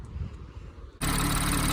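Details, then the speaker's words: BMW/Toyota/MINI B58/B48/B38 engine after injector replacement and clearing codes, engine cover off: it catches and settles into a steady, even idle with normal light injector ticking; no more misfire and no fuel leaks. "All right, so the car started. There is no more misfire. Everything seems to be running okay. It's normal BMW chicken that you hear,"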